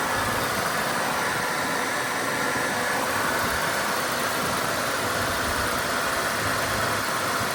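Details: GM 3.8 liter (3800) engine restarted after new water pump while refilling and purging air from coolant, a leak spotted: steady, even idle under a constant airy hiss with no knocks or misses; sounds healthy.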